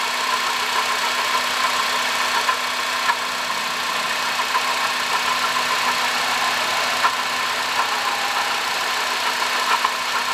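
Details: 2005 Honda Odyssey, 268,167 km, idling: constant gritty whir with a non-pulsing hum from a worn water pump bearing; noise gone after replacing water pump, thermostat, thermo switch and coolant.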